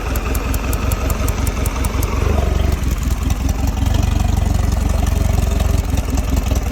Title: 2022 Mercury 150 rough idle